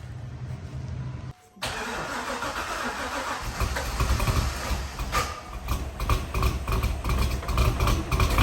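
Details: First start of a C5 Corvette LS1 with a 220/232 Track Weapon cam and 243 (LS6) heads: the starter whirs, the V8 catches, then a loud rapid uneven ticking rides over the idle. This is valvetrain clatter from excess lash because the pushrods are too short.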